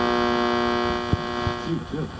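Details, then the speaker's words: 1967 Oldsmobile A-body AM/FM radio on AM below mid-dial inside a steel building in a valley: constant low buzzing over the station, fading toward the end; interference from the building, not a radio fault, gone on FM. "so you hear the buzzing there that's the steel building okay"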